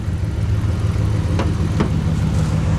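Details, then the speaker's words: 2003 Ram 1500 5.7 Hemi, 426,294 miles, old throttle body cleaned and refitted, after clearing a flooded start: even, steady V8 idle with a couple of faint ticks, suspected spark plug click near cylinder one; normal idle. "thing was extremely loaded up, but it sounds good now."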